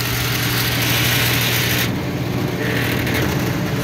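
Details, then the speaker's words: Carrier commercial rooftop unit on a no-cooling service call, possibly running on only one compressor: a loud, coarse roar with a low steady hum and uneven churning underneath; running rough, cause not yet found. "yeah maybe just one we'll give them their ball back that sounds like crap let's see how many things we can find wrong"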